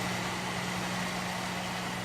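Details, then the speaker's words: 650 W plug-in car interior warmer, newly plugged in: a steady electrical buzz with a low, unchanging hum. The fan motor is droning, possibly from dry bearings (suspected, not confirmed); the owner plans to take it apart and lube it. "They were just sitting there buzzing. I don't like that. Let's unplug it. I imagine now it's going to be fine. Well, I'm going to still take it apart because I don't like that it was just sitting there going hum."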